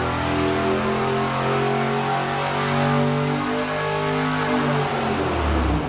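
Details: Junkyard 5.7L Hemi with Comp stage 4 cam, S475 turbo, long-tube headers, intercooler, 80 lb injectors on dyno, boost raised from about 7 psi by electronic controller: loud smooth, even roar under full load with climbing tones, healthy.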